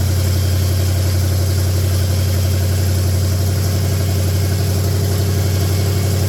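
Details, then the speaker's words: 1966 Buick Special with a 350 V8, just started for the first time: deep, loud, even idle with a steady lope and no knocks or misses; healthy open-exhaust idle, with little smoke that smells of gas, not oil. "e all right hey that's pretty fraking nice Sound and Music there isn't it sounds like the old 350 is going to be pretty good"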